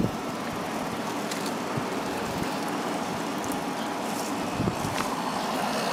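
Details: White Westinghouse 8,000 BTU window air conditioner just reassembled after cleaning, started on low cool with the compressor running. Steady, even airflow roar over a compressor hum, no rattles or knocks; it runs smoothly.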